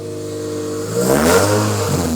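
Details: Naturally aspirated Scion tC revving: raspy, puffing exhaust leak over the engine note from a hole in the muffler and burnt-out exhaust gaskets.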